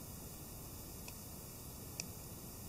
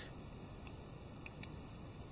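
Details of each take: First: Cheap Bei Nuo Chinese quartz watch: faint single clicks about once a second over quiet room hiss; movement ticking normally. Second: Cheap Bei Nuo Chinese quartz dress watch: a faint, sharp tick about once a second in a quiet room, noticeably louder than it should be.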